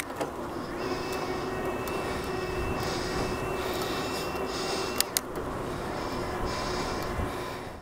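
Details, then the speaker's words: Himiway A7 Pro e-bike, 250W torque-sensing mid-drive motor, 48V 15Ah battery, Shimano 9-speed, climbing a hill into a headwind at about 15 mph. A steady motor whine holds for a few seconds, then drops out abruptly while riding continues: the assist cuts out during gear changes, losing cadence momentum. "That is a bit of a thing though, that the drop-in of the power as you change gear, because you do then sadly lose cadence momentum."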